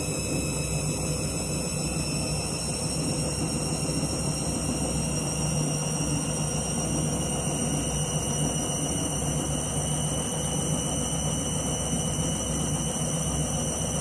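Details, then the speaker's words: Washing machine on spin and drain after a reset from synthetics because it wasn't heating: steady loud whine with high ringing tones over a deep hum, owner says it keeps locking, never seen before; abnormally loud spin, cause unknown. "This is what you call a dodgy spin cycle. It's like it still starts locking and you can hear it. How dodgy spin a cycle this. Never seen it do this before."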